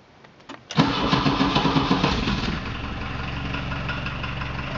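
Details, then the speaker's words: Diesel VW Vanagon cold start; the owner notes the glow plug relay stays on too long: brief crank, loud uneven chugs settling into a steady rough diesel idle; normal cold start. "I think I'm going to uh fire it up put the uh the cover the engine cover on and uh let her idle for a bit"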